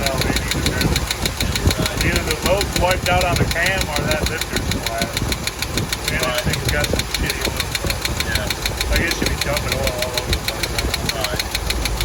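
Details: Chevy K30 one-ton Forest Service truck, V8 idling: light, somewhat uneven ticking about three per second over idle; valve train tick, unresolved, owners suspect a wiped cam lobe or collapsed lifter.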